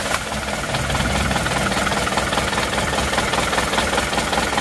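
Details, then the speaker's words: Isuzu Panther diesel idling lumpy, limping and weak on throttle: uneven stumble two or three times a second; loosening injectors one by one showed cylinder 4 dead, its injector spraying but at low pressure, about 130. "setelah kita kendori satu persatu ternyata di nomor 4 itu tidak ada tenaganya jadi pincangnya itu karena 4 itu tidak bisa menghasilkan tenaga"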